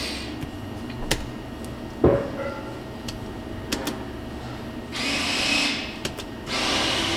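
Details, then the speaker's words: Chevy Colorado with no 4x4, no switch lights and code C0327, front axle actuator motor commanded through a scan tool: a couple of short, smooth electric whirs with no grinding or clunking; normal front axle actuator operation. "we hear the front axle moving that's good"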